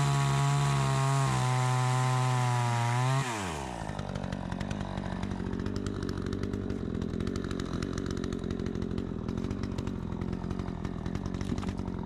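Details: Troy-Bilt 20-inch two-stroke chainsaw, bought new, after carburetor adjustment: high steady scream, then drops and bogs smoothly into the cut without stalling, pulling cleanly; cuts better than ever, owner may seek more RPM; normal running under load.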